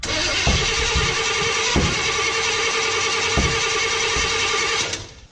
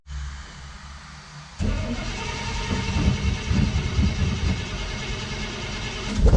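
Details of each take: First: 1955 Chevy pickup: fast even cranking with sharp pops and flames from the exhaust, never catching; distributor found completely loose, owner suspects it installed 180 degrees off, so ignition timing and firing are wrong. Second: 1955 Chevy pickup V8: quiet cranking, then it catches at about six seconds and settles into a loud, steady low rumble; starts and runs normally.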